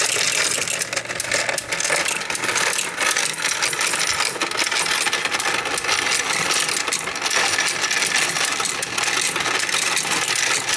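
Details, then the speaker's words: Royal Sovereign FS-44P coin sorter/counter running a whole jar of mixed change; dense coin rattle with steady light clicking underneath from the anti-jam mechanism, normal and always present while running. "And there is a clicking sound that you'll hear while the machine runs. That's normal. That's the anti-jam mechanism. You'll always hear that clicking sound."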